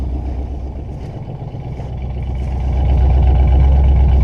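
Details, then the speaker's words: Truck with a Vortec engine, running after 2 years sitting and revving to 4,500 rpm. A deep, loose burble about four pulses a second grows rougher toward the back: an exhaust leak, with a hole melting near the exhaust exit. "That's an exhaust leak by the looks of it from back over there."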